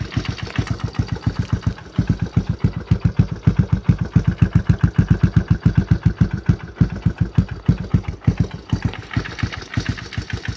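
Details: 1996 Yamaha Timberwolf ATV cold start, no choke, with DG exhaust: the single-cylinder engine idles with a heavy, loud knock on every beat. It has run like this for years, still makes 150 lb of compression and has plenty of power.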